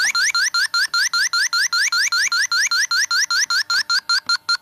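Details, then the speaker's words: TIF refrigerant sniffer on a Subaru A/C system: fast steady rising chirps about 2.5 per second at the suspected expansion valve; refrigerant leak detected, with oily residue on the gasket. "you can see it's kind of oily right there yeah there's a leak even the gasket's getting oily around it"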